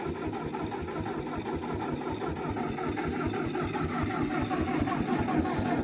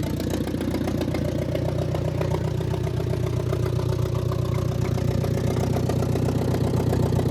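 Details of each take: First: Old Ford half-track tractor that sat in a field 5 years, started after tapping the starter; harsh, raw popping bark on every firing pulse, sounding straight off the manifold as if no manifold is fitted. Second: Old Ford Jubilee half-track tractor, sat 5 years, running after carb adjustment with exhaust straight off manifold: loud open idle, steady about four pulses per second, no misses; carb leaking, venturi chewed.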